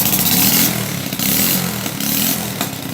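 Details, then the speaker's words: Small motorcycle just restarted after fixing carburetor fuel overflow: uneven idle with loud sputtering pops from the pipe because the exhaust header bolts are all broken; exhaust leak. "Xe này nó bị ốc bô nó gãy hết rồi, nó lục bà lục bục."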